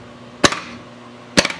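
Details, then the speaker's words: Williams System 6 Scorpion pinball with a repaired driver board (bad transistors), in solenoid test: the kicker coils give two sharp, clean snaps about a second apart over a quiet hum; all solenoids now working: normal. "okay so now now that we have all of our solenoids working"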